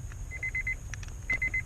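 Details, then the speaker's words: 2005 Honda Odyssey Touring after pulling and refitting the No. 7 7.5 A backup fuse to reset the power sliding doors: bursts of rapid high-pitched beeps, about five each, repeating over a low rumble. "you hear it start beeping again"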